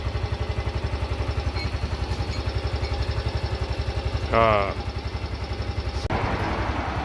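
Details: Yamaha Grand Filano scooter after a valve clearance adjustment, brought in for hard starting in the morning: an even, steady putter with no tapping. Normal idle.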